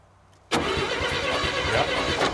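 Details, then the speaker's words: 1957 Chevy 210 that sat for 50–60 years: the starter spins the engine with an uneven churning but it never fires. The crew suspects flooding, with the points adjustment also blamed; cranks but won't start. "I think So- it's flooded, man. I So we just got to hold her to the mat and see what happens. Took the cameras off of her. She don't want to run."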